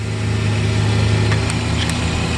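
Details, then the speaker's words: Mercedes SL600 running with repaired throttle bodies off the intake manifold, throttles still active: steady slightly fast idle near 1000 RPM, otherwise smooth; high idle from unmetered intake air. "So as you can see, when throttles are not on the intake manifold, you clearly see that your idle speed is way off 1000 RPM because you don't have proper air going into the engine."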